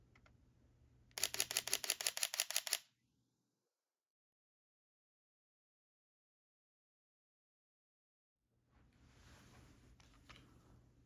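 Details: Sony a6700 with Sony 40mm f2.5 at 1/125 s, f2.8, ISO 2500: a quick, even burst of crisp shutter clicks followed by quiet.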